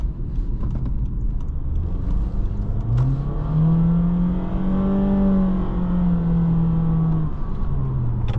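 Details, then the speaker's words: 2023 Honda HR-V Sport on a test drive: steady smooth whine rising and falling with road speed over quiet engine noise, the normal CVT whine. "so you do feel that CVT, you do hear that CVT whine. Pretty standard sound for a CVT."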